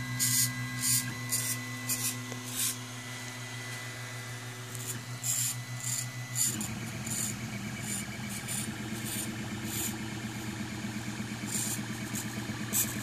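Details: Makerfarm Prusa i3v 3D printer while printing: stepper whine with irregular dry creaks and scratchy clicks about twice a second; owner suspects the extruder gears, unconfirmed, with no sound when moving the XYZ axes.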